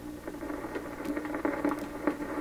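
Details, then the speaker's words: 1928 RCA Victor Model 28V radio after rebuilt capacitor cans installed, antenna connected: irregular crackles and pops over a faint steady hum; output disappointing, cause not yet traced. "Uh-oh, what's all that? What's all that noise? Wow, it's an extremely disappointing showing here."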